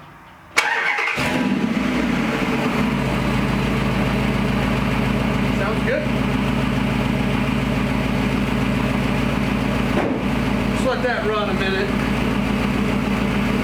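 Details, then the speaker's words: Gen 3 Hemi V8 in a 1952 Dodge pickup, started after exhaust fitted and the ECU relearning, in park: starts on the first try and settles into a smooth, steady burble with even firing and no rattles or misses; normal idle. "It really sounds good. I mean, it's got exhaust on it."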